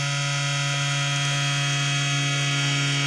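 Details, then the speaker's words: Desktop PC at power-on: steady droning whine with a rough, noisy edge from worn case fan bearings, which begins to weaken as it runs; worn case fan noise. "Porque assim galera ele tá ligando né quer dizer ligou tá com esse barulho mas percebam que alguns minutos ele vai parar"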